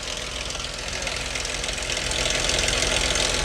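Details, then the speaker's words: Dodge 2.7L at idle, AC off: quick fairly regular light clatter about three per second over steady idle, seemingly from one side; owner suspects valve train, possibly sludge. "All right. Y'all hear that clattering noise? You know what's weird, guys? Sound like it's coming from this side."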